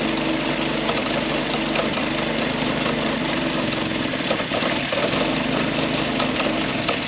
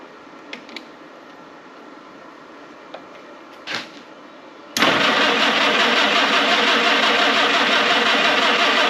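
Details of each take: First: Historic Ford Willys Jeep "Go Devil" four-cylinder, long-stored, after points adjusted and fan belt tightened: fired right off and settles into steady even idle, no misses or knocks, some valvetrain clatter; normal idle. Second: Historic Ford Willys Jeep, sat unused many years, manual choke: after clicks the starter cranks steadily at nearly three turns a second for seven seconds but the engine never fires; crank, no start.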